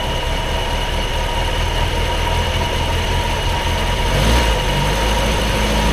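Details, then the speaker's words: Triumph Herald Estate after carburettor swap, dashpot oiled, just started: loud uneven lumpy sputtering idle with slight rise near end; owner suspects still taking in too much fuel; rough idle. "it's still it's still a FY it's still f party I think it's still taking in too much fuel"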